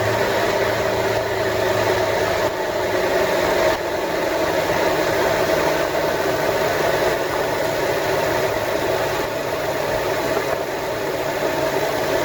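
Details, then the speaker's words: Toyota 4Runner 5VZ-FE V6 idling with alternator belt removed, power steering belt only; even, steady idle with no whine or rumble from the front; engine healthy, noise traced to the alternator; normal idle. "all right so as you guys heard everything else sounds good and perfect healthy it's just the alternator that is bad"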